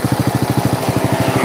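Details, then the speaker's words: Honda Supra motorcycle with internal damage from a previous careless workshop: crisp, even single-cylinder thump at idle, no misses or clatter; healthy, steady normal idle. "saiki ini suaranya Ini motor masih bunyi loh herenyes-kerenyes ya kerenyes-kerinyes"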